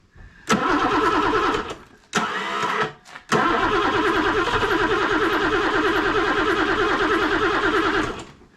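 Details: BMW E9 3.0 CSi barn find, not started in over 20 years. The starter cranks in regular bursts with no firing; parts are seized and grubby from long storage, so the cause is suspected, not confirmed.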